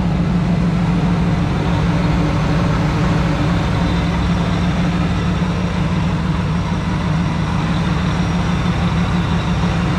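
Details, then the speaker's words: Supercharged Ford Lightning truck with an open intake, idling after its idler pulley bearings were repacked with grease: a steady, loud idle with intake rush and supercharger whine, and the earlier pulley squeak is gone. "that's right guys no squeaky let's turn this thing off all right so that worked out really good"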